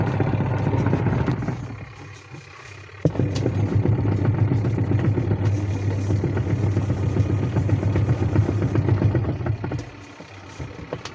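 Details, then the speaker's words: Semi-automatic washing machine after a wash-side gearbox sound problem was fixed: low, even churning hum that reverses smoothly with no grinding or knocking from the gearbox; operating normally after repair. "इसका problem solve हो चुका है। इसका wash side का प्रॉब्लम था, तो wash time आपको बैठा के इसे थोड़ा टाइम चला के देखते हैं। गियर बॉक्स से साउंड नहीं आ रहा है।"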